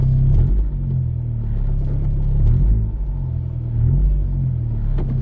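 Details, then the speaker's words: 10th-gen Honda Civic with big turbo and Hasport 62A stiffer rear motor mount in reverse with AC compressor on: deep cabin drone and low buzzing rattle; engine vibration transmitted through the stiff mount. "okay get a little bit of noise or vibration I should say when you're in Reverse you can definitely tell things are rattling or vibrating I should say"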